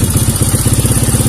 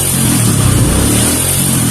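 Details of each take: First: Kawasaki KLX 150 vacuum carburetor, throttle opened slightly with the slide spring removed: lumpy pulsing single at low revs that won't rise or settle, unstable; fitting the spring lets revs climb directly. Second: Kawasaki KLX 150 with vacuum carburetor, during vacuum rubber/carb setting: the small single revs up sharply on a light throttle blip and drops back cleanly. Crisp, healthy throttle response.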